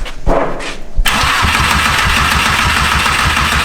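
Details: Volkswagen 1.8T engine swap, first start after a four-year project: starter cranks evenly and quickly but it never fires; the fuel pump is heard and there is no spark at the first check, cause not confirmed.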